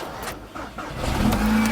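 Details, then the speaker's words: VW Golf GTI starting only on a jump pack due to flat battery, many dash warning lights; cranks and catches, then a harsh droning tone settles in while running, a horrible noise of unknown source; abnormal noise on starting. "hey so it's just the battery but yeah it's got this horrible noise"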